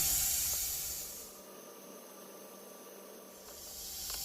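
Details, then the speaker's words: Sears single-mantle lantern restoration, air compressor in background: steady hiss of air bleeding off while the compressor motor is stopped; its governor has gone bad, so the tank leaks down whenever the motor isn't running. "Alright guys, sorry for the hissing in the background. The governor's gone bad on my air compressor. Anytime the motor is not running, it starts bleeding off."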